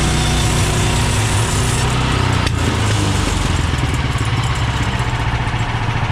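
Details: Bandsaw mill cutting 3/4 x 6 inch boards with a reduced Pine-Sol/water blade lubricant; excess had made the blade slip off the bandwheel belt. Steady engine drone, even cutting rasp, no slapping, rubbing or blade chatter; cutting smoothly.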